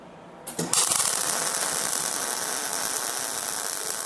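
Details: MIG welding the suspension link brackets on a 1962 Jeep Willys project: the arc strikes and settles into a steady, even crackling sizzle, showing the wire speed is set right.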